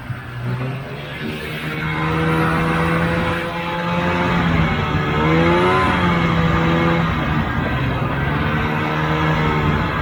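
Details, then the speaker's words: 1980 Polaris TX340 two-stroke snowmobile after blown head gasket repair and crankcase draining, cold start and test ride: runs smoothly, buzzing pitch rising and falling evenly with throttle; easy starting and good running. "i'm really happy with how the sled came out uh it's just an easy start and good running sled at this point"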